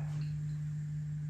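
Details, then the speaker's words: Early rev. green Bogner Überschall amp, serial 86, US 120V model, first power-up at 120V: loud, constant low-pitched hum at idle with master volume down and nothing played; possibly mains hum, cause not pinned down. "that's quite a loud hum at idle i mean i certainly heard worse but that's that is reasonably loud"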